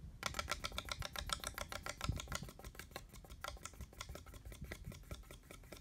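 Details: Noisy ceiling fan making a quiet, uneven run of sharp little clicks about four per second while turning; something ticking each rotation, cause unknown.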